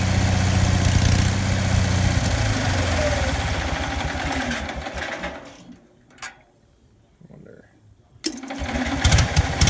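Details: Onan 4 kW generator's steady drone sags and dies into silence, then a restart catches. It runs fine cold but stalls after four to five minutes once warm; owner suspects something, possibly a sensor, is killing spark; unconfirmed.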